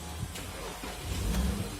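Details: Porsche Cayenne diesel (2011–2017 model) after no-start, starter-not-turning and no-communication fault, running after a replacement relay was fitted and codes cleared: low, even engine rumble that picks up briefly and settles without stumbling; running normally.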